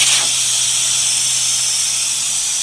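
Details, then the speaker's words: Tire airing down before dirt roads with the valve core pulled, aiming for 15–20 PSI: steady high-pitched hiss and whistle of air from the open valve, holding even with no sputter. "So I'm just pulling the core until right after the whistle stops."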